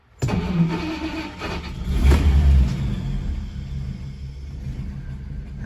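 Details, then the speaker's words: Restored 1950 Packard Eight Touring Sedan, 30,356 miles, 138 hp flathead straight-eight, Ultramatic Drive, started by turning the key and pressing the accelerator: quick crank, catches at once, one smooth rev, drops to quiet even idle; healthy. "let's start it up so you guys can hear how it runs it's quite a smooth car this one is really unique in that you just turn the key and then you push down on the foot feed"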